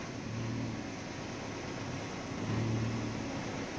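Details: 2007 Nissan Primera P12, 170,000 km, idling: after the power steering fluid change the steering is silent. Even low idle hum while the wheel turns, no howl or whine from the pump. Normal power steering.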